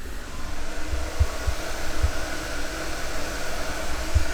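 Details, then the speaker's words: Project car's oil cooler fan right beside the microphone, toggled on, drawing about 2.6-2.8 amps: steady even low whir, no ticking, rubbing or wobble; normal operation. "and then i will do we will try the oil cooler fan right beside me here let's toggle that"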